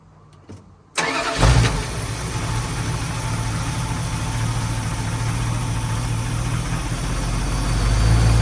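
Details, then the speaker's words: 1981 Dodge Ram 350 with Edelbrock 600 CFM carburetor, after blowing out the idle circuit with compressed air and resetting mixture screws half a turn out: starts and settles into a steady, smooth idle; rough idle fixed. "foreign so that seemed to do the trick um it runs smooth now"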